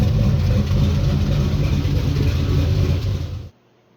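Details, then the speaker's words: 1965 Chevrolet Impala with LS swap, freshly cammed 5.3 V8, warm at 171°: deep steady rumble with rhythmic loping beat about three pulses a second, no knocks or misses; fuel trims within 4%, O2 sensors oscillating; normal healthy cammed idle. "Got a nice little lo to her."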